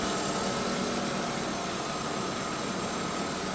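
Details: BMW E36 328i at idle: faint steady one-pitch whine, likely the power steering pump; cause unclear, owner doubts it is normal and hears it more from inside the car.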